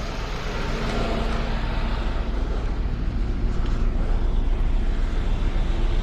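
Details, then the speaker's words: Vehicle idling about 20 minutes after battery and sensor replacement by mobile mechanic, no check engine light: steady even low rumble, no knocks, misses or ticks; normal idle. "Alright, so no check engine light. Car's been running for about 20 minutes now."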